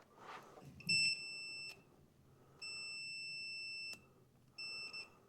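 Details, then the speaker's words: Troy-Bilt TB30R riding mower no-start diagnosis: a multimeter tests a switch with two contact pairs. Three clean, steady high beeps of about a second each show continuity; both pairs are normally closed and open when the button is pushed. Continuity beep, switch contacts closed. "The 2 middle ones are going to be your normally closed, and then once you push the button, they'll open."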